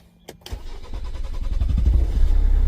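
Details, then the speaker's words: 2012 Kia Sorento 2.2 diesel in limp mode, P0087/P1186, power loss, black smoke: no prime pressure at key-on, then brief click and slow labouring catch into rough idle; fuel pressure only 30–32 psi versus spec 35, low fuel pressure. "you hear that hard start and I'm getting like 30 32 psi which is really low it's buil to 35"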